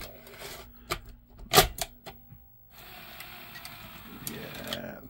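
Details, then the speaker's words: Sony SL-F1 Betamax video recorder after belt replacement, tape loading test: crisp mechanism clicks, then a quick, even motor whir settling to a steady run; ejector fast, tape loads cleanly and promptly, mechanism now healthy. "let's plug it in and see how it plays the ejector is pretty damn quick that seems a lot happier so okay"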